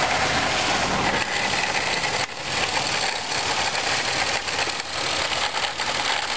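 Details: 1997 Pontiac Grand Prix GTP idling: a dense, gritty rattle and grind from the supercharger, louder in Drive and gone on acceleration; the cause was a worn supercharger coupler.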